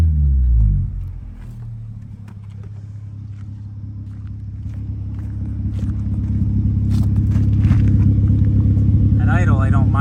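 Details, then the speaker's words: 1996 Honda Civic hatchback, mileage unknown, aftermarket exhaust: steady low idle, then the exhaust swells louder and boomier as revs build under throttle; far too loud, exhaust to be fixed. "that sound but get on a little bit we way too loud so we'll fix that too so my plan is to fix the stance on this a little bit fix up the exhaust so it's not so obnoxious"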